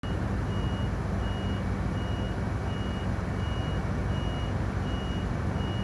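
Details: Crane standing idle after driver returned: high beep about every three-quarters of a second, nonstop, over low engine rumble; continuous warning beeping, cause unknown.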